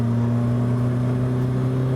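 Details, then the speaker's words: £300 scrap UK car on a long road trip, exhaust hanging off and held with cable ties, revved: loud, rough low drone under steady throttle that eases as revs drop; exhaust blow has clearly worsened. "I think it's fairly obvious that the the blowing exhaust has become more blowier."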